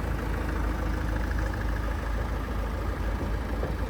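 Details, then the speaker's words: Ford Focus diesel bought at auction listed with an engine tapping noise: steady even idle with light direct-injection pump clatter, no separate tapping knock; engine sounds healthy, normal diesel idle. "No, that's direct injection noise. Absolutely perfect. You'll hear the direct injection pump there. Sound as a nut. Sounds like how it should do the diesel."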